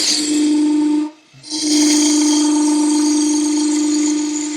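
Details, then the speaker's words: Woodturning lathe cutting the top of a lidded box with a 1/2-inch bowl gouge: steady mid-pitched singing tone that stops and returns; chatter from the piece vibrating without tailstock support. "There's a little vibration there because I don't have the tailstock up."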